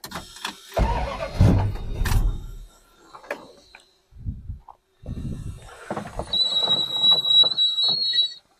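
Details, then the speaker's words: 1973 Dodge Dart Swinger with a charging system that stopped charging: short crank, catches straight away and settles to a steady idle with a high chime over it; normal start and idle. "So, that's good. She started or she fires right up."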